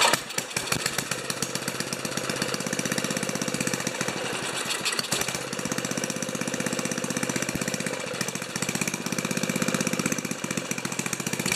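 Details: Old five-horsepower Ariens 2+2 two-stage snowblower engine, low-speed jet set around one and a quarter turns: chugs unevenly at about four beats a second, firing ragged and stumbling; running rough, cause not confirmed.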